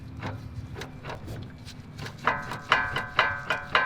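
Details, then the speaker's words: 2008 Honda Civic that shakes above 60 mph, wheel turned by hand on a jack: rhythmic clicking and scraping about twice a second from the inner CV joint at the transmission, which is slinging grease; the joint is worn. "it's making an awful lot of noise there's grease coming off the transmission here on the inner shaft and that's where the noise is coming from here now"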